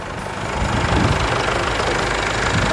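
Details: Chevrolet S10 MWM Pitbull diesel after turbo replacement and full service: steady diesel clatter at idle, rising slightly then holding even with no odd knocks; healthy engine.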